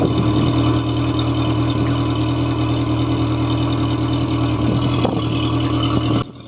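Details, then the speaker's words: Mercury 90 hp four-stroke carbureted outboard, just-bought boat, after flushing with salt-removing additive: steady low idle with light, quick ticking from the cylinder head, a knocking valve. "при последующем запуске мотора в головке блока цилиндров прослушивался характерный стук клапана вот здесь отчетливо слышно как стучит этот клапан"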